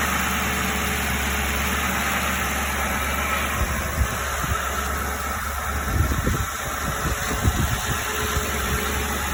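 Steady idle with loose, irregular puffing ticks breaking through after a few seconds, typical of an exhaust leak.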